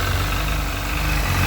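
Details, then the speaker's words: Sea-Doo 951 DI after custom rebuild, air system fed shop compressed air at a steady 80 psi, fuel pressure steady near 107 psi spec; even, steady idle around 1450 rpm with constant low drone, no misses or surges; normal idle. "steady we should be idling at around 1450 rpm that's perfect"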